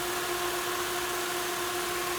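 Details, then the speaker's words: 5.3 LS-swapped El Camino with a 4L60E, at idle: a steady, airy rush and constant hum as the electric cooling fans run at an even speed with no rattle; they shut off around 185 and 187. Normal fan operation. "Perfect timing. So the fans kicked on right now."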